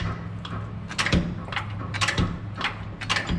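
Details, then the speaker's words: 2003 Ford Explorer front differential, weight off the wheel, wheel rocked backwards and forwards: dull knocks about once a second with metallic rattles from worn-out differential mount bushings with missing rubber; also pops in reverse while turning. "Hear that bump? That's the bump I hear."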